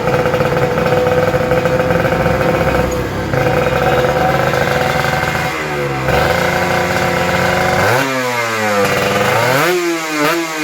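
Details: Kawasaki Ninja RR 150 two-stroke after service: before, it pulled weakly, stuttered, the KIPS stuck at some rpm and the throttle hung. The carb throttle slide was sanded smooth. It now idles cleanly, then revs climb and fall crisply without stumbling or popping.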